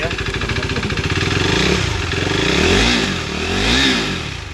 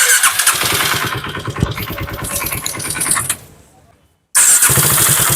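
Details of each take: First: KTM RC 390 single-cylinder after engine rebuild for worn cam shaft and rockers, refitted and started: steady beat with two smooth throttle blips, no top-end ticking or knocking; runs smooth, normal. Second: KTM RC 390 single-cylinder with coolant mixed into engine, before repair: starts, dies, restarts and revs with a fast metallic clatter rising with throttle from worn cam and rockers.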